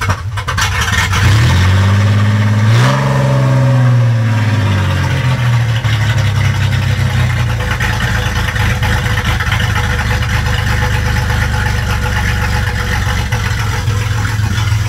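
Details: Car unstarted for 4.5 years, after new fuel pump, fuel filter, cleaned injection spider, plugs, wires, cap, rotor, battery and fresh gas: first start catches, blips up sharply, then settles into a steady, even run with no knocks or misses.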